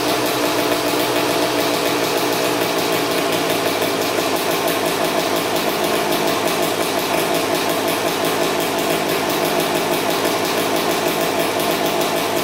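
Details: 2000 Suzuki RM250 two-stroke (249cc), unrun two years, fresh premix fuel, cleaned carb, good compression: loud raspy crackle at steady fast idle; big split in the expansion chamber blowing exhaust, basically straight-piped, needs welding.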